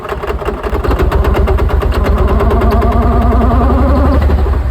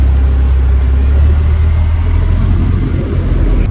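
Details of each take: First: 2002 Mercedes-Benz C32 AMG supercharged engine making no boost: rough uneven knock about three per second over low drone, owner also reports a high-pitched bearing sound; knock from supercharger suspected, cause unconfirmed. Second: 2002 Mercedes-Benz C32 AMG, supercharger making no boost with intermittent knock and high-pitched bearing sound; restarted, it now idles steady, deep and even with no knock, whine or miss.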